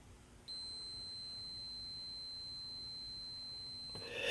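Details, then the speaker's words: 1967 Zenith Royal 3000-1 Trans-Oceanic radio: meter clipped to the transistor collector gives a solid unbroken beep for about 3.5 seconds, a dead short, so the transistor is bad. "hear the meter when it is a solid beep like that means it's a dead short same thing as if I did this okay so that transistor is bad"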